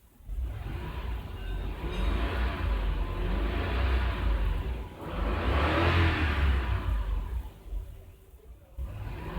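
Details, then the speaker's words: 2001 Toyota LandCruiser VX 4.7 V8 petrol, coil-on-plug, drive-by-wire, after fixing fail-safe no-throttle-response fault: engine climbs cleanly with each blip and drops back to idle without hesitation; throttle response now normal. "you can hear now the engine engine is responding you hear that"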